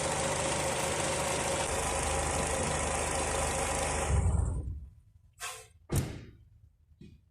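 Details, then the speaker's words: Mercedes-Benz W203 C180, M111 engine, already hot, idling 5–10 min with engine flush before an oil change: noisy power steering pump plus faint regular tapping, about 3–4 per second. The owner can't yet identify this second noise. "Okay, so I'm letting the engine idle now for about 5 to 10 minutes, and you can hear this power steering pump, it's noisy. There's also another sound coming from the engine, not sure what that's about."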